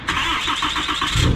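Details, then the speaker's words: Cummins diesel truck, started to pull forward so water drains out of the jet ski: brief rhythmic cranking, then catches promptly and settles into a steady even rumble; normal start. "oh yeah listen to that cumming's purr"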